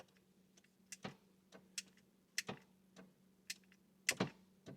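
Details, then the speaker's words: 2002 BMW E46 with shot battery on a charger, broken central lock button held together and pressed: irregular sharp relay clicks about every second as the door tries but fails to unlock; switch needs replacing. "you can hear the relays and you can hear it want to try and unlock."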